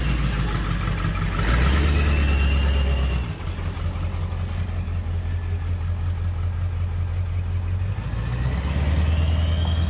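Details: 2000 Ford F450 diesel dump truck after replacing a missing fuel rubber seal: deep steady diesel rumble that swells briefly on a rev, then settles into an even, smooth run; engine sounds healthy before a transmission test drive.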